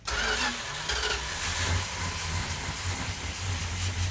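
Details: 1972 Plymouth Duster 340 V8, 4-speed, originally slant 6, restoration first start without primer fuel: engine catches after cranking, runs lumpy and uneven at low revs, struggling to settle; hard start, timing being advanced.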